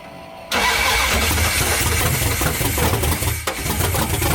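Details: '78 Dodge Power Wagon 383 V8 with open headers, first start in over 10 years after adding a ground to the block, fuel poured into the carb since the electric pump wasn't filling the bowls: starter whirr, quick catch, loud choppy deep-rumbling idle.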